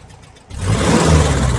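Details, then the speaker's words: 1968 VW Type 3 with original Bosch fuel injection, after installing clamps, slight tick noted: engine picks up only after a brief lag on throttle blips, then revs smoothly; hesitation, setup suspected slightly off. "It's really not that bad, but I don't like that delay."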